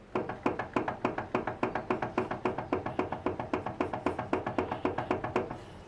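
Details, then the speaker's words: Front wheel lifted and rocked side to side by hand gives sharp hollow clunks, nearly four a second, from play in the ball joint inside the outer tie rod end; horizontal movement points to tie rod, not control arm ball joint. "e agora eu vou fazer o barulho para vocês saberem e perceberem como ele é fácil de de detectar"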